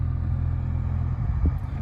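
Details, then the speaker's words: 2015 Nissan Versa Note SV cabin A/C blower on setting three, after a mouse, its droppings and insulation were cleaned out of the blower housing: steady even low hum with no rattle or scraping; normal operation, a bit loud but much better than before. "guess that's how it's supposed to sound. It sounds a little loud to me, but it's a lot better than it was."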